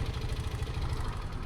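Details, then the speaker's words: Honda Supra X 125 at 100,000 km, just after an oil change with Shell synthetic: low, even idle putter with steady pulses, no misses; engine runs smooth, slight remaining rattle attributed to the piston itself. "Langsung halus. Kok masih ada geredek dikit, itu memang dari si sehernya sendiri."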